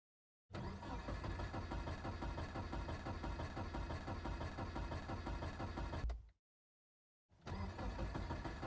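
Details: Car on a cold morning: the starter cranks the engine at an even three beats a second for several seconds, stops, cranks again, but it never catches or fires; crank, no start.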